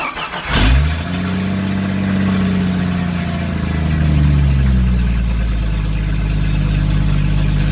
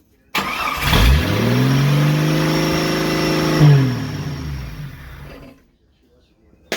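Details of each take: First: Jeep YJ after a 4.2 to 4.0 inline-six engine swap, first start, loud exhaust: catches at once, flares, then settles to a smooth steady idle with no knocks or misses; oil pressure over 50 PSI. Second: Jeep YJ after a 4.2 to 4.0 engine swap, first start, O2 sensor unplugged, loud exhaust; catches and climbs quickly to a fast loud idle, then shuts off; owner suspects high idle, uncertain.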